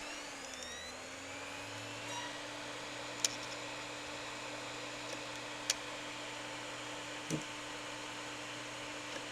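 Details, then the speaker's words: Hard drive on a test bench hums with sharp repeated clicks every couple of seconds and never spins up or is detected; to be fixed by cleaning contacts on the control board. "жёсткий так и не запустился слышны стуки"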